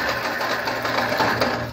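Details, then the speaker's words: 1999 Fiat Palio: uneven, stumbling idle with irregular chuffs that falters and stalls; misfire traced to a cracked cylinder head, compression test showing 7.5 on the fourth cylinder, later repaired. "Tá partido aí, Juan. Tá bom. Olha aí. Esse cabeçote já era."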